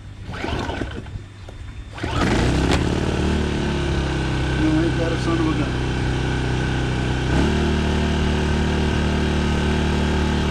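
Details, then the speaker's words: 800 watt gas generator, pull-started with choke about 3/4, catches after two seconds and settles into a steady, even, fairly quiet drone at full speed before econo mode, with no hunting; normal running. "Pretty quiet too. And that's running full blast."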